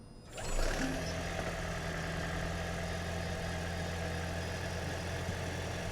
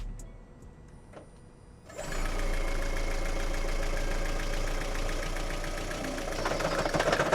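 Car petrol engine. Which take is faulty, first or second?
second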